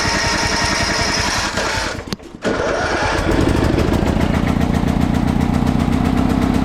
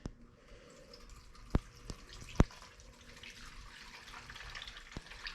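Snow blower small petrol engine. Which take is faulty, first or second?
second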